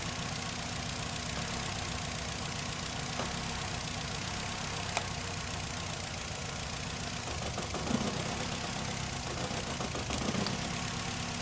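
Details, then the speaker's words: 2008 Nissan Rogue with P0300 misfire code and engine rattle, idling with the cylinder 2 ignition coil unplugged: uneven, rattly idle with faint irregular knock that got worse, part of locating the misfiring cylinder. "yeah as you can hear there is a little bit of change here on this one after disconnecting the cylinder number two there is the the engine sound the noise that i've been making it yeah it got worse"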